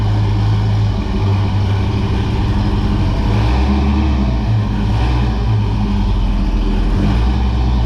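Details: 1978 Pontiac Trans Am V8, cold-blooded, old mufflers before Pypes replacement: deep heavy rumble with steady low boom droning under idle and light revs; exhaust drone unbearable in cabin with T-tops in and windows up.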